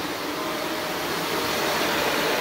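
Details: Shark NV355 upright vacuum bought in 2018, about 3 years old, on low-pile rug at maximum suction and airflow; even airy suction rush with steady motor hum, no rattles or pitch dips; owner later hears slight motor bearing wear; normal running.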